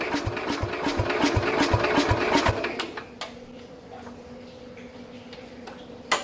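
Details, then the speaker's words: 1969 Bolens 850 tractor, Wisconsin S8D 8¼ hp engine unrun for over 3 years, little throttle and choke: slow even chuffs at two to three per second, never catching; owner suspects very low compression. "Sounds like it's kind of trying to do something, but it's either got like so little compression in it that it can't properly fire or something."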